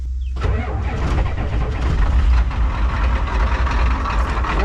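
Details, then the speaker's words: 1990 Ford 7.3 IDI diesel, 4300 miles, revived: cranks briefly, catches straight away and settles into an even, crisp diesel clatter with no misses, a clean healthy cold start. "a Treet this sounds so crisp know H so crisp"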